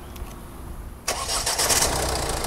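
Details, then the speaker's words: Checking a used diesel car's engine when buying second-hand: it starts after a quiet second and settles into a steady, clean idle with no chain noise or knocks, a normal diesel start and idle. "şimdi bu motorda normal motoru çalışma sesi Bu araba dizel bir araba gayet olması gerektiği gibi çalışıyor"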